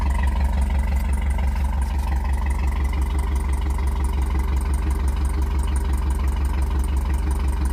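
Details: Cammed Tahoe with DOD delete kit, cold start: sharp even ticking about three per second over a lumpy cammed idle, louder now; suspected exhaust leak at flange or header gaskets, still down on power when driving.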